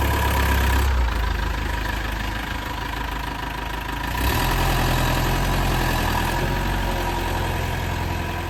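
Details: Old Mercedes bus diesel back from a four-week workshop stay after engine damage: even clatter at a steady idle, about 220 beats a minute, no misses or hard knocks; healthy-running engine.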